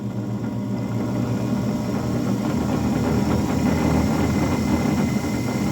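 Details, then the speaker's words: 9-inch South Bend lathe, unused for years and not bolted down, final drive belt slack: the main motor runs smoothly forward and reverse with an even hum, a light buzz and slight vibration from being unbolted. Normal motor run. "you can hear a slight vibration that's because again it's not bolted down but the motor actually seems pretty smooth forward and reverse works"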